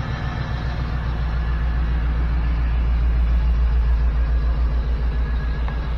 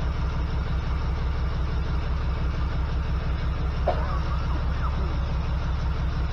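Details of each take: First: 1979 GMC C15 with LS V8 swap, after replacing three injectors to fix a P0300 misfire code: deep, even V8 rumble, revs rising slightly, all eight cylinders firing cleanly; normal running on all cylinders. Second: 1979 GMC C15 with an LS swap, code P0300: uneven idle thump, a beat stumbling now and then. Pulling plug wires, cylinder one gives no change and its wire arcs, so the owner believes the number one injector is bad, still plugged in; misfire.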